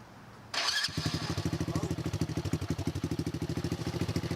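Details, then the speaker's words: X18 pocket bike, small single-cylinder, jump-started after oversized carburetor replaced with stock carb: quick start then crisp even putter about fifteen beats/s, no misfires; much quieter than before, normal idle. "Okay. Sounds good. Very quiet bike. Very quiet bike. Sounds a lot better than before, definitely."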